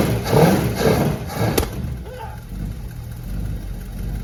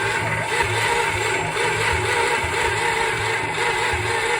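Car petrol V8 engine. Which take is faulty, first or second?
second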